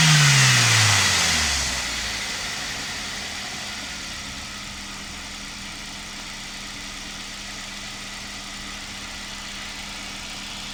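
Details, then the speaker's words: 2006 Toyota Corolla E12 1.4 VVT-i petrol, just after replacing the cracked multi-rib alternator belt; the engine catches with a brief rev, then settles into a smooth steady idle with no squeal or chirp. Normal idle, no belt squeal. "No tak jest wymienione i teraz odpalimy Zobaczymy czy piszczy czy nie"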